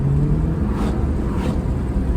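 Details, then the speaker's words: Ford EB2 Fairmont Ghia with a 302 Windsor V8, about 32 years old, first drive after a muffler change: deep, even burble under way with a steady low rumble and no miss or rattle, a healthy exhaust note. "Well, I don't know if you can hear that or not, but it sounds kind of cool. It's got a nice exhaust note after Brian did that exhaust."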